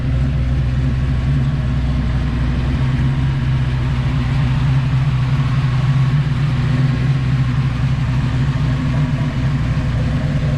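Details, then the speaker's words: 1986 Fox Body Mustang 408 stroker V8 with Holley EFI and MSD coil, after fixing a locked-up oil pump, at initial startup before tuning, heard on a walk-around with wind noise: deep steady idle rumble with even lope, no knocks or ticks; sounds healthy. "i'm gonna do a little walk around let you guys listen to it it sounds good"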